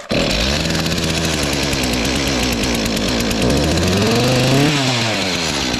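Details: Stihl MS251C chainsaw test run with no chain after replacing a clutch and cover melted by running on high idle with the chain brake on; the two-stroke catches at once and runs crisp and steady, rising briefly when blipped.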